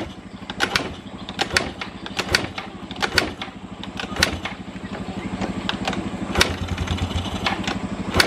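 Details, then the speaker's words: Carbureted Yamaha Xeon 125 scooter that is hard to start, with no smoke and weak power: a rough idle with a sharp irregular tick once or twice a second over the beat. The mechanic suspects the piston; the source is unconfirmed. "Nah itu ada suara ceker pedas tapi motornya itu nggak ngebul yo gak ngebul cuman ada suara tek tek tek terus tenaganya agak jeruk bambu ya"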